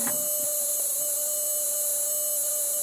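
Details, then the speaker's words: Automotive relay pulse charger on 12 volts recharging a ~1997 Polaroid Polar Pulse flat alkaline battery: steady fast mid-pitched buzz with thin hiss as the contact chatters; voltage rises immediately, normal. "I'm going to plug that in now the relay is working can hear it buzzing and the voltage goes up immediately on the battery being recharged"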